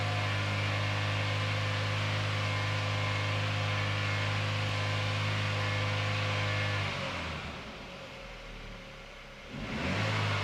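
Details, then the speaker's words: 2017 Holden Astra 1.6 turbo petrol B16 after replacing cracked cylinder 1 piston (low compression, P0301 misfire): first start, smooth steady idle and two clean revs, no bad noises, some smoke. "Hey, now with that, happy days. It's up, it's running."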